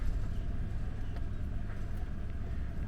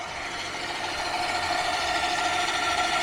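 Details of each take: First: HPEVS AC50 electric car motor after bearing replacement, running in Drive at 1000 rpm: even low rumble, smooth, with no gritty bearing sound any more; normal motor run, motor characterization still to be done after encoder moved. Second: HPEVS AC50 electric motor from a delivery van, two years in service, running at only 1000 rpm: steady raspy whirr with a regular roughness about three times a second. The bearing is worn from years of use and is to be replaced.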